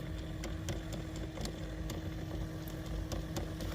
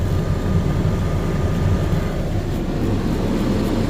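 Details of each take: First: 2012 GMC Terrain (same as 2010+ Chevy Equinox), glove box removed: sharp uneven clicks behind dash over low engine idle from HVAC blend door actuator; noise stops when unplugged. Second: 2012 GMC Terrain after blend door actuator repair, engine running, temperature dial turned between hot and cold: steady engine and blower hum, no ticking behind dash; actuator now quiet, clicking fixed.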